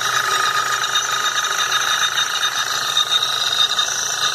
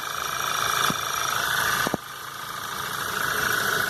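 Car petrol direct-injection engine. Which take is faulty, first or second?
first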